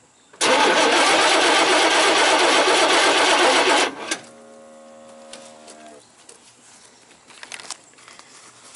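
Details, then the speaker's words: 1988 Chevy C500 2WD, 5.0L V8, died while driving. Steady cranking for about 3.5 s with no firing. A scope on the purple/white reference wire from the ignition module to the PCM shows no crank signal; voltage reads 8.9 V key-on and drops to about 6 V while cranking. "all we got so there's no crank signal so that dropped to like 6 volts"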